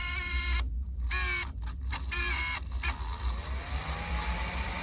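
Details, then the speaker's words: Old modified Creality Ender 3D printer at power-on: steady low hum with rough tone climbing as cooling fan spins up; worn sleeve-bearing fan dying, to be replaced with ball-bearing fan. "this fan is dying you can hear that that's a sleeve bearing fan so"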